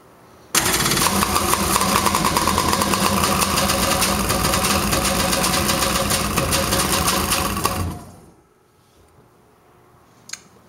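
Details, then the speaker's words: Polaris Pro 785 1010cc two-stroke, first start after full rebuild (new pistons, rings, V-Force reeds, custom reed spacers, milled head, compression raised to 145 PSI): crisp start and fast, even idle buzz, no knocks or misses; healthy. "all right [Music] say it sounds pretty good"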